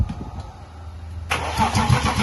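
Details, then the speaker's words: BMW E36 328i with M52B28 engine after head gasket replacement, fuel pump relay removed to prime oil: starter turns the engine over at a steady, even rhythm without firing; normal cranking, no start. "fuel pump relay so it won't start it would only crank when it cranks it gets the oil pumping through everything"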